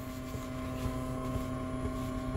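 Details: Car stereo with the engine running and a Zoom charger plugged into the second outlet: a steady electrical whine with fixed tones and faint crackle over engine hum through the speakers, changing with throttle. Ground loop noise; an isolator is the suggested fix.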